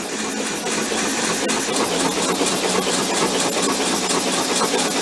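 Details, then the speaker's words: 1995-parked VW Beetle convertible air-cooled engine cranked with plugs out: starter spins freely with no compression chuff, speed building steadily while oil is pumped through; normal cranking. "hear it pick up speed. Yeah, plus it's pumping oil through."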